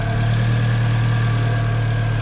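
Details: Car with a dead battery started using a portable jump starter: smooth, even low hum at a steady pitch with no knocks or misses; the engine idles healthily.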